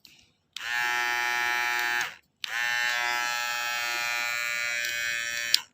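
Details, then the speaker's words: Philips hair clipper after repair (diode replaced, switch cleaned, blades refitted and oiled), switched on twice while still uncharged: strong steady high buzz holding pitch without sagging or rattling; motor and blades healthy. "แรงครับนี่ขนาดแบบเดิมๆนะครับยังไม่ได้ชาร์จนะครับ"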